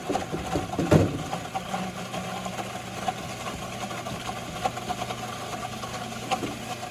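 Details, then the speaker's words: Heil ICP furnace inducer blower with no drain, full of water: the blower hum carries an uneven, bubbling gurgle and irregular knocks from water trapped in the housing. "no drain on the bottom of this blower right here and it is full of water i can hear it"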